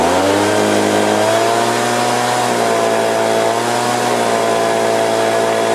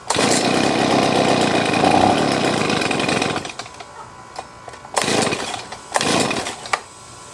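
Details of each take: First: Stihl BG50 blower at its first test before troubleshooting, having started easily: held at full throttle, the whine mostly stays steady but briefly dips and wavers at very high rpm; cause unconfirmed. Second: Stihl BG50 two-stroke blower, previously hard to start, after a quick high-speed carburettor adjustment: strong, even high-rpm buzz between bursts, no stumbling or surging; running good and steady.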